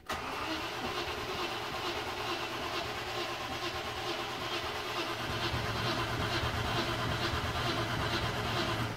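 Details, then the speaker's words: Late-1993/Jan-1994 Range Rover Classic Vogue, cranking: steady starter churn about two beats a second for nine seconds, never fires; not flooded, mechanic suspects fueling, weak spark, ignition amplifier next. "definitely not flooded I think it's a fueling issue"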